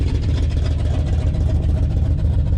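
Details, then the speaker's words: 1994 GMC 3500 454 V8 work truck, smoking, running old bad gas and some diesel-gasoline mix, needs a tune-up; loud rough idle with raspy puffing rumble; exhaust leak at the manifold-to-downpipe donuts, to be replaced. "you can tell she needs something i think that exhaust on it is finally just giving it all up so we need to get that fixed"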